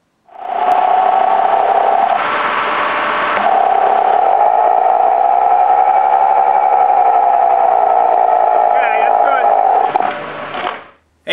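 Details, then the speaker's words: Car raised on jack stands, wheel spinning, camera held against the hub/handle: steady loud whine near 700 Hz with a rough edge, a damaged front wheel bearing pinpointed at that wheel. "did you see the way the noise changed when I took the camera and put it against the handle and then took it away and then put it back on I mean you could definitely tell where that noise was coming from"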